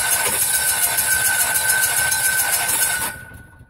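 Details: Kohler Confidant 4CKM RV generator: steady starter cranking near three and a half turns per second that never catches. The electronic governor shuts the throttle while cranking because the magnetic pickup (speed sensor) failed and gives no AC pulses.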